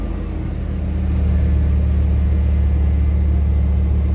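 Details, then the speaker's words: Truck with TBI and a new X-Mark fuel pump, being revved while warming up with good oil pressure; deep rumble builds smoothly with good throttle response, no misses, knocks or leaks; running healthy. "God, this truck sounds good. Wish it was early in the day. It's got good throttle response, almost better than before."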